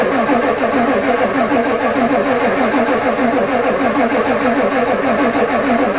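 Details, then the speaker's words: Ford diesel truck at +4 °C on a newly installed glow plug controller: steady even starter churn, never fires; controller never clicks, owner suspects it doesn't work. "it's cranking good come on try again I can smell the diesel"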